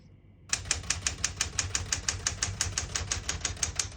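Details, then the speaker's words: 1970 Smith-Corona Classic 10 manual portable typewriter on single spacing; crisp even keystrikes about three per second, all keys typing cleanly with none skipping or sticking; normal. "As you can see, all the keys type nice and none of them skip or stick."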